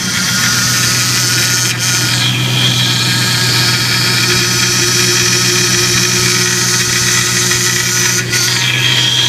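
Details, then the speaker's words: Dodge Ram 1500 at idle right after a power steering pump replacement, pump had a snapped pulley shaft: steady droning whine that swells as the wheel is turned lock to lock; air in the system and fluid low, bled by turning the wheel. "okay now you turn the steering wheel oh I hear that pump okay turn the back and forth all the way this way okay back the other way to FP line a bit got a bit air in it"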